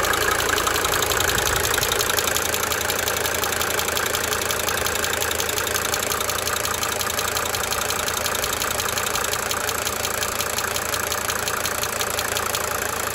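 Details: 1992 Mercedes-Benz 300D 2.5 Turbo diesel at idle: crisp, regular injector ticking about three per second, coming and going over steady clatter.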